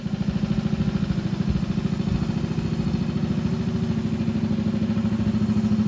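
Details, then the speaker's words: 1964 Honda CA102 Super Cub after carb cleaning, started only by spinning the crankshaft with a drill since kick and electric start fail: small uneven single putters with a light clatter; rough weak idle. "so as you can see she runs but there's a couple issues"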